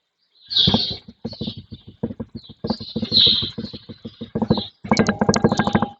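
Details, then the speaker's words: 2012 Fiat Strada pickup, microphone on the front lower ball joint as it is rocked by hand: irregular bursts of dull, dry knocks and clicks from a worn ball joint with lots of play, likely the customer's front clunk. "então você ver e esse pivô e ele tem bastante folga então os barulhos que o cliente escuta provavelmente"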